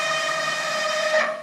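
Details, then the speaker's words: Haas VF-3 CNC mill retrofitted with new servos, during servo settings tuning: loud, steady high-pitched whine and vibration through the ball screw and frame as the motor holds position on encoder feedback, because the gain is set too high. "See how much vibrations? That is the motor trying to hold so tight the position that will create vibrations on the whole uh ball screw, frame of the machine, all of that will vibrate with that motor holding trying to hold that position in with the encoder feedback and See how loud it is?"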